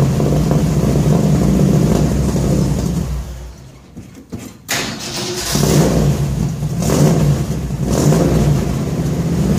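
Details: 1966 Ford F100 V8 on points ignition, truck just acquired: deep even burble rising cleanly on each rev and dropping back to idle, no ticks, rattles or leaks; exhaust sounds good.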